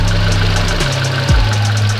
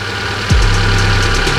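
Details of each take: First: Fuel-injected car with ISC idle control (tagged Hyundai), warm engine, idle speed deliberately set too low: idle climbs and drops about once a second and never settles; idle hunting. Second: normal ya artinya sudah bagus nanti semakin panas semakin normal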